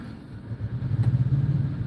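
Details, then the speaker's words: Kenworth T680 truck's APU, armed, fails to start at first, then fires: deep diesel rumble builds after a soft start and settles into a steady, even low throb. Normal APU start-up. "There we go. APU just fired up."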